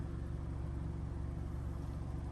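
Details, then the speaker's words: 2007 Honda CR-V 2.4 automatic warming up, radiator not yet fully hot: low smooth steady exhaust rumble with no misses, puffs or rattles; even, healthy idle. "suara knalpot juga rata masih bagus kita masih menunggu radiator sampai benar-benar panas nanti dia akan turun dan akan sirkulasi itu ya"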